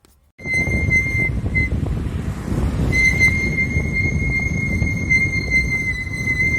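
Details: VW Saveiro after new brake pads: loud steady high-pitched squeal on gentle braking downhill from pad vibration, over road noise; fixed by disassembling the caliper and lubricating the pads.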